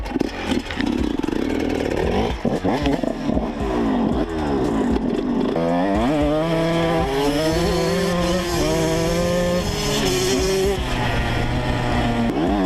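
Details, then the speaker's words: 2012 Yamaha YZ125 two-stroke, in for coolant leak and idle/carb adjustment: choppy blips at first, then revs climb and hold more evenly; running a bit better. "Ah oui, ça marche un peu mieux."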